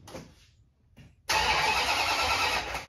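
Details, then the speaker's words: 1969 Dodge Super Bee 440 Six Pack, previously only clicking, starts with a new battery after the old one wouldn't charge: a short crank catches quickly into a strong, even V8 idle; the fault was the battery, not the starter. "the sound i was looking for it was a battery after all"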